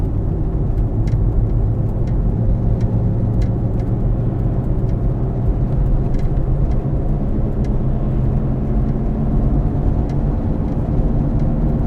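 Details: Car on a test drive with a worn rear wheel bearing, side not yet determined: constant low grinding, growling drone under the road roar while cruising, steady with speed; wheel bearing growl.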